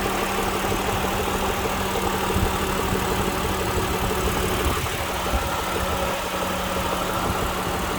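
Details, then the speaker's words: At idle: steady idle with an aggressive light metallic rattle over the engine note, seemingly from the cylinder head; cause unknown. "something's rattling something is rattling quite aggressively"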